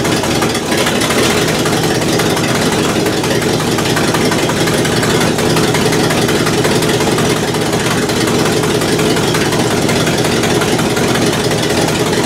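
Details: 1968 Buick LeSabre V8 idling loud and steady after engine repair, previously abandoned with no oil pressure and leaking head gaskets; valve cover off, oil pressure good, head gaskets holding, temperature stable around 190°; no misses or knocks, healthy.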